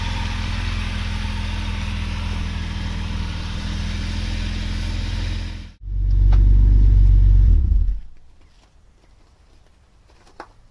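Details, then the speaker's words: Vauxhall Senator CD 3.0 24V straight six, parked for months for cutting out; steady low idle runs about six seconds then abruptly dies after wiggling wiring, water seen dripping, owner suspects water in the ECU plug: stalling at idle. "okay so it's still cutting out and if i go and like waggle things randomly sometimes it cuts out again but it looks to me like there's water dripping from somewhere so i'm going to pull the ecu out and we'll see if there's anything in there if there's any water in the plug"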